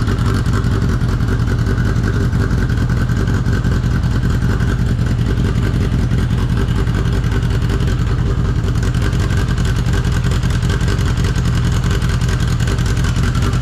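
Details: 1983 Honda CB750 first start after sitting at least 10 years, tank removed and running on an external fuel source: loud, steady drone at even pitch with no ticking or knocking on top; running normally.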